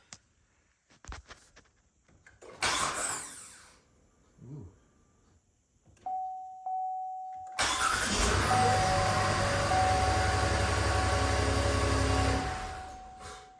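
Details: 2013 Buick LaCrosse 3.6 V6, after starter replacement (old starter sounded like a chain): door chime, then a brief crisp crank and the engine catches quickly into a steady idle, a normal starter cranking and start.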